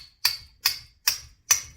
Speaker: Right away, you'll know if you're doing the right thing, because it won't sound like it's metal. It will sound kind of hollow, and that's because you're basically going straight through the differential without binding.